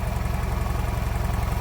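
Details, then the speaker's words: Nissan Qashqai with a CVT, misfiring at idle: a deep, lumpy, shaking idle. The engine jumps as if a dual-mass flywheel had failed, though it has none; there is an exhaust-like puffing sound, vapour, and oil at the rear of the engine. Cause unclear. "двигун стрибає ніби розвалився двухмасовий маховик"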